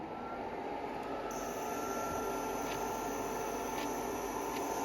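Even, steady airy whoosh with a faint constant tone and no knocks or rattles: the cooler fan is running normally.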